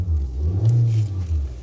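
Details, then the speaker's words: Nissan Sentra, 131,860 km, road test after a P0302 cylinder 2 misfire code; the No. 2 spark plug was missing its electrode tip: smooth, even rumble rising as it pulls away, no stumble or bucking, no DTC; normal acceleration. "so so far ayos naman na wala na tayong DTC wala na ring misfire so i-road test na lang muna"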